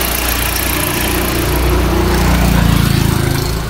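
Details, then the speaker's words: Fiat Freemont 2.4 at idle, before repair: faint accessory belt squeal rises once the air conditioning compressor clutch engages; others condemned the compressor, but the mechanic found the compressor was not the problem. "agora vou chamar o compressor do ar-condicionado para você ver o barulho está fazendo"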